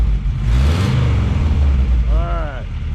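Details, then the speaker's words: Deep steady exhaust rumble through a glass pack and cherry bomb, no ticking or puffing at the front after the front exhaust leak was fixed with new hand-made exhaust gaskets; normal exhaust note. "got a glass pack on there and cherry bomb, and we got the exhaust up front totally fixed. No exhaust noise."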